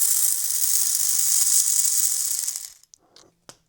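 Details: Old Hornby Class A4 Mallard model locomotive with botched DCC conversion, motor bench-tested on stripped wires: fast, raspy high-pitched whir spinning very fast, then winding down and stopping; sounds like a dry, unlubricated little motor drive.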